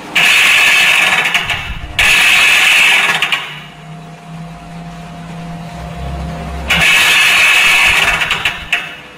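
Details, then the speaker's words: Toshiba AW-A750ST washing machine on dry spin: motor runs but the tub does not turn, with harsh rattling clacks over a low hum; worn plastic clutch gear set slipping. "แต่เปลืองมันดังแกรกนะครับอาการนี้ครับเกิดจากนะครับชุดเฟืองคลัตช์นะครับ"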